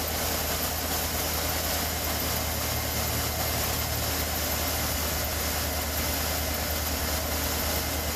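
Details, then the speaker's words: 2013 Chevy Suburban 1500 5.3 after replacing a bad belt tensioner pulley bearing that caused bird-like squeaking: steady, even idle with smooth low rumble and no chirp, squeak or whir from the belt drive; quiet, healthy. "Right. There you go. Quiet as a mouse."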